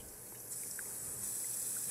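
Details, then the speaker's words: Siamp toilet fill valve hissing steadily while the cistern water level does not rise; the inlet diaphragm washer inside had gone soft, and the whole inlet valve was replaced. "The Siamp valve has this problem when it's not filling up the water reservoir, the toilet reservoir, and it's making this hissing noise."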